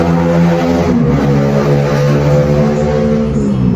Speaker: Kalau di Oppo itu kan jendela ya, tapi berhenti di situ dan ini getarnya nggak berhenti. Tuh, dengar nggak suaranya? Ini getar terus nih, vibranya main ya.